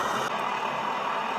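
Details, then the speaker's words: Backpacking liquid-fuel stove running after preheat, pump not working perfectly: strong, steady roar without sputtering or pulsing; burner getting full fuel flow, normal operation. "But if you hear that, it's kind of making that sound. That's the sound that it's really moving."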